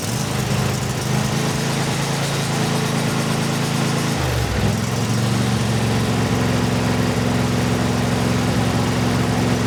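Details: Briggs and Stratton 24HP V-twin lawnmower engine after full carburetor cleaning to cure surging: steady hum settling to a lower, even speed, no hunting or surging; runs smoothly.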